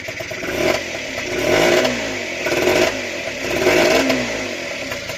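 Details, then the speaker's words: Honda NH80 Vision two-stroke scooter, first run after restoration with the oil pump confirmed working: crisp buzz climbing and falling through several throttle blips, picking up cleanly each time; normal revving. "what a result right as you can hear she's running nicely and the best part is the oil pumps working so that's good"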